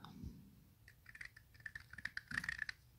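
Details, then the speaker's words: Toyota MR2 worn strut top mount bearing turned by hand: gritty, irregular scratching and clicking from a degraded strut; the new mount turns smooth. "okay so check out the bearing in this one hopefully you can hear that"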